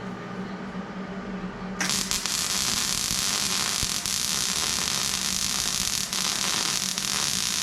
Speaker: they say good MIG welding sounds like frying bacon. Have a listen here.